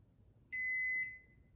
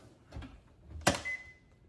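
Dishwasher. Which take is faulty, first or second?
first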